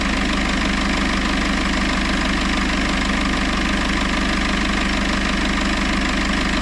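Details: Citroën C4 Grand Picasso 2.0 BlueHDi 150 diesel after head gasket repair and engine refit, idling in Park at 60°C oil temperature during the gearbox oil change: steady, even clatter with no misses, knocks or surges. Healthy.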